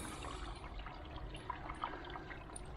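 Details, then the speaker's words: Shower outlet supplied by an air source heat pump system after the air locks were cleared, flow set down: steady, even rush of water with no gurgling or spitting; normal water flow. "we'll just have a quick look at the flow through the shower and it's flowing lovely"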